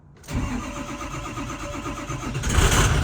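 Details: Ford 6.0 diesel truck that had shut off and wouldn't restart, after installing a missing fuse restoring injector power: brief crank, then catches promptly into a steady, even clattering idle with no stumble; normal start.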